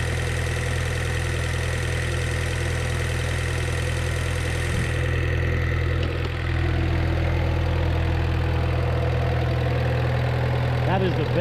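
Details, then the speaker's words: 1986 Suzuki Samurai turbo diesel after replacing a leaking injector pump with a rebuilt one. It idles smooth and steady with an even low clatter and no misses, and the smoke is nearly gone; some blow-by remains. "and smoothest this engine has ever ran even the smoke it's like non-existent"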